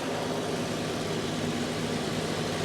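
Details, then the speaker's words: 1969 Chevy C10 V8 running at idle after sitting, still cold with the thermostat not yet open; the alternator hums and charges at 13.9 V. Steady, even, smooth low rumble with no misses, knocks or hunting; a healthy-sounding motor. ">> Good running little motor, man."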